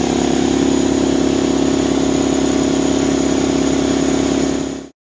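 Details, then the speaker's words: New Draper 150L belt-driven 2.2kW 10 bar air compressor run for 10 minutes with air escaping so pressure didn't build; steady even pumping drone, no knocks or rattles, oil level fine and clear; normal running. "So it ran well. The pressure didn't build up too much."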